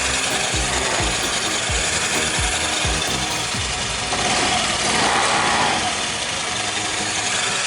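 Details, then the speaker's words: Single-cylinder motorcycle after a bearing replacement: light, even idle patter and hiss with no knocking or grinding from the bottom end. Sounds healthy; normal idle. "Dan ini perbedaan suara saat udah diganti bearing."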